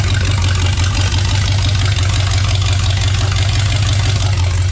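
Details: Rat rod freshly rewired with rebuilt transmission just installed, fired up after fuel pressure adjusted to about 6–7: pretty loud, steady even low rumble with regular beat, no misses or knocks; normal clean idle.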